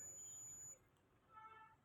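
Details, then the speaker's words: Iron-core low-frequency transformer tested with a multimeter on the continuity range: a clear, high meter beep under a second long with a reading of 5 on one winding, showing continuity, so the coil is good. "इसको अगर हम check करेंगे तो एक coil तो यह है इसकी कंटिन्यूटी आई टी की भी आवाज आ रही है बीप की आवाज आ रही है और इसमें फाइव लिखा हुआ आ रहा"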